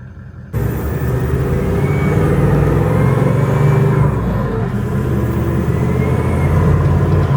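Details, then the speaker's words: Toyota 79 Series LandCruiser diesel under load on freeway/hills, before turbo replacement, going into limp mode: heavy drone with thin high supercharger-like whistle; turbo overspinning and overboosting. "It sort of sounds like a supercharger. The turbo is over spinning, just over boosting. Engine cos going into the limp mode."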